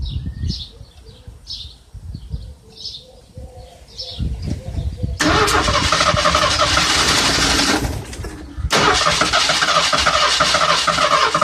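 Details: Ford Granada that sat almost 20 years, running a two-stroke oil and gas mix with a new inline fuel filter before the fuel pump, outdoors with birds: two long stretches of fast, even starter churning that never catch. Cranks, no start.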